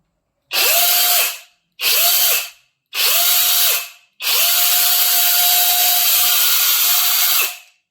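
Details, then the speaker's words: Cordless tool motor running on a fully charged third-party Makita-style IFASEN 21700 15000mAh battery that later reads 20.1 V. Four trigger pulls, each spinning up to a clean, steady high whine and winding down smoothly. The motor runs strong and healthy. "Boleh dengar motor dia kuat ni kita try running dekat one van pula, impact range."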